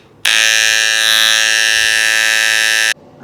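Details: Hair clipper: harsh steady high buzz at constant pitch for about three seconds, louder and rougher than normal; cause suspected, not confirmed.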